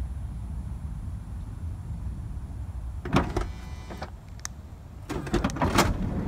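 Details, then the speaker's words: 2006 Honda Odyssey driver-side power sliding door, engine idling quietly. The motor pulls the door in too far, strains with a rising whir, then releases. "okay so notice what it's doing it's pulling the door shut just reverse it here it pulls it too far in strains and releases"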